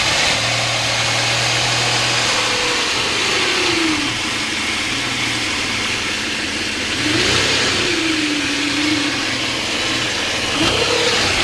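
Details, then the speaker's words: Mitsubishi warm restart after fixing fuel pressure loss that caused long cranks and rough idle: it catches and settles into a steady, even idle while a faint alternator squeak fades. A little fuel-system pressure loss remains. "The squeaking's almost stopped now."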